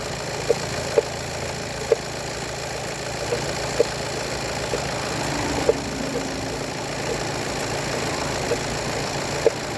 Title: VW Golf 7 1.6TDI timing belt knocking sound